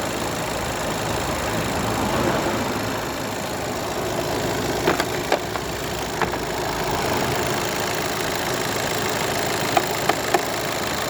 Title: VW Golf 7 1.6TDI timing belt knocking sound